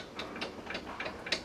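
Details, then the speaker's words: Raised front wheel rocked by hand gives sharp metallic knocks, about three a second; play in the worn lower control arm (A-frame), the source of clunking when taking off and over bumps; fix is replacing the lower control arm. "up, yep certainly clunking, so we'll get the wheel out of the way, it's real stuck on, so we'll kick it a few times the help loosen it off and off it comes, and when we go under here, we can see that when we hit the lower A frame down here, it's clunking because it is play, it needs a new lower A frame, tap the brakes"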